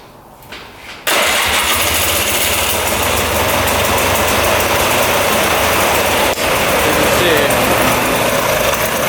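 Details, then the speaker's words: 2002 Polaris Scrambler 400 4x4 ATV after repeated plug cleaning; catches and settles into a busy, slightly uneven run with a brief falter; running longer each time; owner suspects an old fuel-water mixture in the crankcase burning off. "see that just quits then and then you have to clean off the plug and continue to do it right now it's running a little bit longer than it used to"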